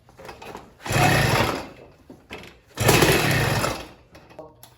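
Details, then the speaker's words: Motorized bike two-stroke fitted with California Motorbike catnip ignition and coil, carburetor untouched, idle speed raised: pedaling and cranking with only a brief weak pop, won't catch; hard starting, cause unconfirmed. "fired a little bit. Now let's see what it'll take to actually start this thing."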